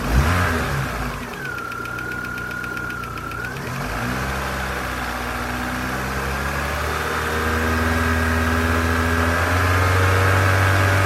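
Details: 2001 Corsa C 1.4 16V, warm engine at idle: quick regular tick about three per second over the hum, brief rising whine early, ticking growing louder the longer it runs; engine ticking.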